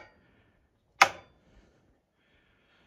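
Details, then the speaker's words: 1974 International 354 gas tractor, no crank: dash lights up with key, battery believed fine, but turning the key gives one sharp click then silence, no cranking; bad starter solenoid. "So the dash lights up with the key. I don't believe it's a dead battery, but what I get when I go to the starter, I just get a click."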